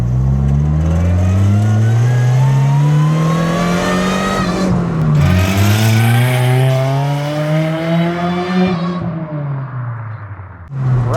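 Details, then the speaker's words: 7th-gen Honda Civic with supercharged K24 swap, being revved: revs climb twice then abruptly drop near top, engine shutting off rather than rev limiter, at about 5,800 rpm; cause unknown, owner suspects too much boost or lean protection cut. "All right, we had a little ignition cut. So, it cut out at RPM, so I'm going to try and run up in that RPM again and see if that was I mean, it like shut down. So, I don't think it was a rev limiter. It just shut down."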